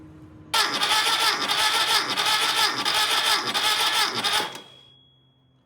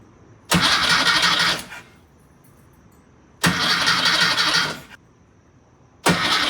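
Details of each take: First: Freshly rebuilt VW Type 1 engine from a Karmann Ghia, cranked with the battery wired to the starter and grounded to the transmission, compression tester hooked up; steady, even four-second crank with no catch; normal cranking. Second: Freshly rebuilt VW Type 1 Karmann Ghia engine, first start attempt: three bursts of steady cranking that never catch because the coil pack feed was not hooked up; crank, no start, no spark.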